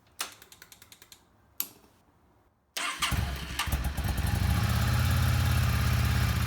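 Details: Yamaha Star 650 V-twin after carburetor cleaning, rebuild and reinstall, first start on a little fresh gas with full choke: two bursts of even starter cranking, then catches and settles into steady lumpy idle; normal cold start.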